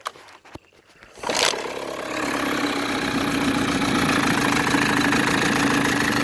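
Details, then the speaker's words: Older, probably 1980s Mercury outboard, 7.5 or 9.8 HP (likely 9.8), fiberglass hood, new impeller and gear oil; quick start then steady even two-stroke buzz, smooth run with no knocks or misses, healthy. "all right here's a really good running probably 10 horse mercury outboard"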